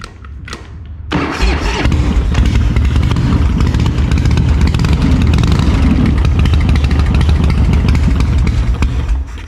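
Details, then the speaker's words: 1984/85 custom Harley-Davidson with hopped-up engine, after carburetor main jet cleaned and needle and seat checked: short crank, catches without choke into loping, uneven but steady V-twin idle, loud like gunfire; normal start and idle. "Dude, that that thing sounds like a bunch of guys just shooting guns through town."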